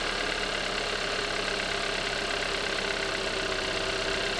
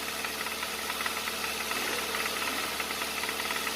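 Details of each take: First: Hyundai Avante AD with GDI direct-injection engine at about 123,000 km, just started: even, constant, quiet idle with a fine steady injector tick and no irregular tapping; normal healthy engine. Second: Hyundai Avante AD with GDI direct-injection engine, just started: sharp, fast "tta-tta-tta" ticking knock at about three to four per second over the idle, a known GDI fault attributed to pistons not fitting the cylinders; piston slap, engine to avoid.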